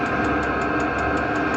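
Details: Diesel air heater in a Promaster van running normally after first start-up and smoke burn-off, with an even blower roar and a crisp, regular tick about five times a second from the fuel pump.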